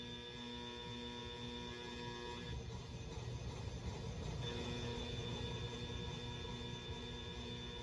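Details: Hunter Original variable-speed ceiling fan: steady electrical buzz of fixed hum tones over the airflow, not changing with the blades; the motor hums on the speed control.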